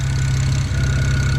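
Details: Built BMW N54 335i at idle after reassembly, owner chasing a suspected turbo exhaust leak: steady deep even pulses with no puffing or ticking from the exhaust joint; he still smells combustion and suspects a leak or knock.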